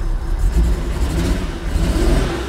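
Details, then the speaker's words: Engine idles better after a bad circuit-board trace was fixed, but it still misses when revved, with an uneven, stumbling exhaust beat. Owner suspects resistors and capacitors on the board. "so it's definitely idling a lot better than it was but I I mean when you rev it it still has a mess"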